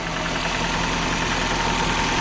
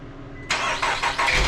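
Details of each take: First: 2014 Nissan Rogue at idle after replacing VVT oil solenoids: even, smooth idle with faint steady whir, no ticking or knocking; runs well, no oil leaking, O-rings sealed. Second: 2014 Nissan Rogue, first start after replacing VVT oil solenoids: quiet hum, then engine catches with uneven surges over first second; odd-sounding start, owner assumes cam timing adjusting to the new solenoids.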